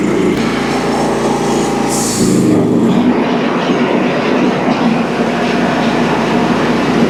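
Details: Early first-edition DR all-terrain brush mower after repair with new bearings and idler pulley instead of replacing the clutch (blades had stopped engaging); engine holds a loud, steady drone with blades engaged, no squeal or rattle from the clutch; normal running.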